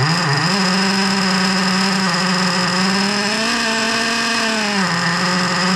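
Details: Small 3.3 nitro engine at about 20° outside, after fuel tank gasket replaced and top-end needle opened to four turns: high buzzy note wanders, sags and recovers, fires up but won't settle to idle.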